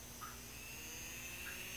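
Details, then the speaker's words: Small variable-speed DC motor salvaged from a Sony Walkman, rated about 3 volts but run on 14 volts: faint, thin, steady high whine with a hum as the motor is overdriven and burns out. "you probably hear that humming away and i think we toasted it or we toasted the power supply one of the two"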